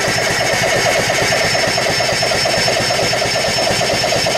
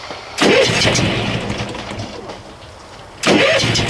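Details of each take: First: 6.2 L MPI boat engine being winterized in freezing cold, cranked to pump antifreeze from a jug through the engine: even churning about twice a second, never catching; cranks but won't start, cause unknown. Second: Boat generator being winterized with antifreeze in freezing cold, after failing to start until circuit breaker switched on: engine catches sharply, settles into an even note, then catches again about three seconds later; normal start and running.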